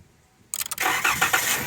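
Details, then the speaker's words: 2013 Dodge Caravan, fuel pump relay in TPMS module bypassed with jumper wire: brief crank, quick catch, steady even idle; normal start and idle, works every time, confirming faulty relay. "see it works every time"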